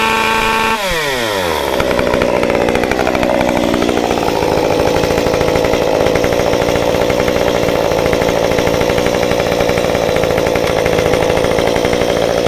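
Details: Modified Stihl 193T climbing saw (muffler mod, ~8–9° timing advance, limiters removed, 93 non-E fuel, 16-inch bar, PS3 .050 full-chisel chain) cutting a log: revs up sharply, holds steady high even scream with no stumbling; healthy under load.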